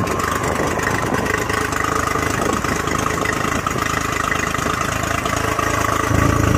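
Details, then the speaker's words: Carbureted Honda 40/50 HP outboard with electric choke (by-starter valve), unrun for 3 months, started in neutral at zero throttle: steady, even idle rising slightly as it warms on its own, no misses; running normally. "alright here we go that's it you let that electronic choke do its thing"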